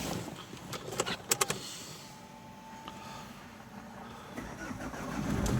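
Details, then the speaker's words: Opel 1.9 diesel that would not start cold in frost, after the fuse block was replaced and the car sat outside to cool: the starter whirs briefly and the engine catches into a steady clattery idle; normal cold start. "Оп, все запускається."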